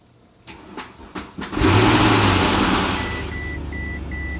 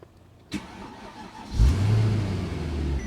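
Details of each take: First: Mercedes S63 AMG after A/C compressor and condenser install, first start after weeks sitting, on a borrowed battery: four slow cranks, then a loud rough flare settling to idle under a steady chime; alarming rough start, cause not confirmed. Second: Mercedes S63 AMG, first startup after A/C compressor and condenser work, engine had sat without oil a long time: quick crank, catches at once and settles into a deep, smooth, steady idle with no knocks or misses. Cooling fan running.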